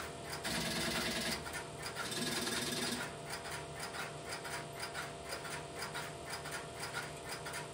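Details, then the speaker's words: Idle step-by-step (Strowger) telephone switch with no calls being placed, in a private central office collection: steady light relay ticking of about four per second with a brief louder early rattle, the interrupter running normally. "This video presentation will be of the sound of the stepbystep switch without any telephone calls being placed through it at the beginning. I will let the camera run for a minute or so to pick up the sound of the interrupter in the background"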